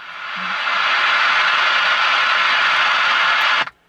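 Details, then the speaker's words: RCA 2XF91 AM/FM tube radio under repair, with low B+ (115 V first filter cap, 85.9 V second): hiss swells over the first second then holds loud and even with no station; excessive hiss. "Now, you notice how the hiss gets louder and louder and louder as when you turn it on."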